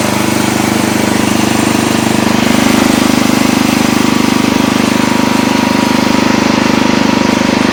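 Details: Old Montgomery Ward Power Kraft riding mower, no air filter, blade running and cutting: strong, even single-cylinder chug at steady speed, no misses or knocks, after earlier stutters in gear; normal running under load.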